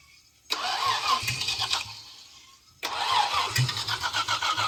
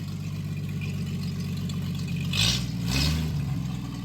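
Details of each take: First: 1937 Chevy Coupe original Stovebolt 216 inline-six, first start after decades; cranks and catches, oil pressure rising, runs briefly then fades, fires again into uneven idle. Engine stalls after starting; possibly wants choke, unconfirmed. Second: 1937 Chevy Coupe original Stovebolt 216 inline-six, first start after decades, choke adjusted, no coolant yet, good oil pressure; low steady putter at idle with a brief throttle blip, no knocks or misses. Normal idle.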